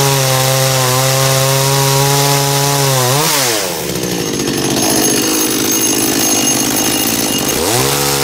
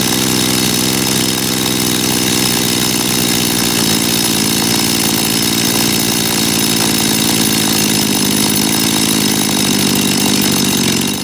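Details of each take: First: und hier in dem Fall sind das jetzt so ungefähr 12.350 12.400 Umdrehungen bei meiner Kettensäge Second: Dolmar chainsaw, carburetor just cleaned, tachometer on the ignition lead: fast, high buzzing idle because the idle (S) screw is set too high, so the chain turns. Screwing it out lowers rpm until the chain stops.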